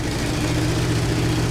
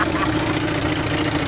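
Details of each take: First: 1968 Chevy C20 pickup with a 307 V8, parked 30 years in a barn, with new battery, plugs and fresh fuel, run in gear trying to move; uneven sputtering and ragged firing, then a backfire as it stumbles and dies, likely low on fuel. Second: 1968 Chevy C20 pickup, 307 V8 parked 30 years in a barn, new battery, plugs and fresh fuel, started on primer with electric fuel pump off: catches immediately and holds a steady, even idle with no knocks, until fuel runs out.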